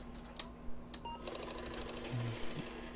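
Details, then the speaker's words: Apple II 5.25-inch floppy drive: rough rapid sewing-machine-like clatter over motor hum while booting a disk; drive does not read, judged bad. "I'm scared I don't know if you guys can hear this thing pushing your disc into it turning it off turning it back on does it read even though it makes that ugly noise no it does not read"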